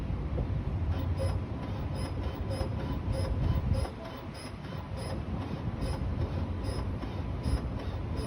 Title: Strange noise from 2020 explorer with cold engine